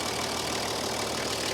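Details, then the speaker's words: Toyota HJ45 diesel, a paddock find sitting for 7 years, after the exhaust extractors were bolted on; steady, even diesel clatter at idle with no exhaust blowing or rasp. The fan belt is slightly wobbly. "bolting those extractors up has really eliminated that noise it was obnoxiously loud earlier when those extractors weren't bolted on"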